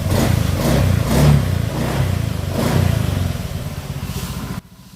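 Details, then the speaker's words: Honda Beat FI scooter after top overhaul for oil starvation and no-start: revved up and down a few times, smooth and quiet with no knock or clatter; engine quiet again, in break-in, oil change due at 500 km. "Tahimik na uli yung kanyang tunog ng makina mga sir, at pinalikan natin lahat-lahat para mapakuha natin to sa may-ari. At goods na goods na."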